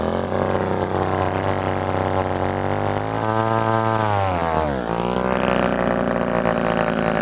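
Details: Old Ohlsson & Rice two-stroke chainsaw, sat 20+ years, after blowing it out with a hose restored fuel: holds a steady buzzing idle, dips briefly and picks back up, then runs evenly; sounds healthy.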